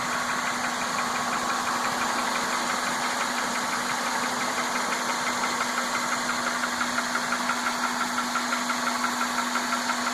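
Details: 1998 Honda Accord 2.3L VTEC four-cylinder, 160,000 miles, timing belt history unknown: steady light ticking about three clicks a second over idle hum, with vibration at idle; owner unsure if valve, belt or timing belt.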